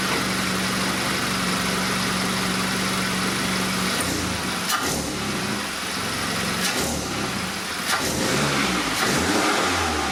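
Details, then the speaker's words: MK7 VW GTI just after a catless downpipe install: steady idle, then quick free revs with a clear turbo whoosh rising and falling each blip; much more turbo noise, more defined spool and better throttle response. "So a lot more turbo noise. You definitely hear the spool a lot more defined, very good. And throttle response definitely seems a lot better too."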